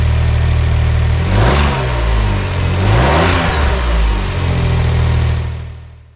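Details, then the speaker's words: 2008 Smart Fortwo Pure 451 71 bhp, after a fabricated, welded bracket on the silencer/catalytic converter was refitted: runs smoothly through gentle revs, then switches off. There is no exhaust blow or vibration, and the earlier knocking from inside is gone. "everything is sounding really great no blowing from the exhaust no vibration in fact the knocking noise that was audible from the inside has gone"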